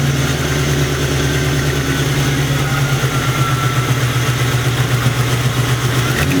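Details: Internally stock LT1 V8, about 70–80k miles, with Hooker long-tube headers. Sharp, quick ticking puffs at idle rise with revs from the driver's side, mistaken for knock. The cause was an exhaust leak at the driver's-side rear header port, fixed by tightening it.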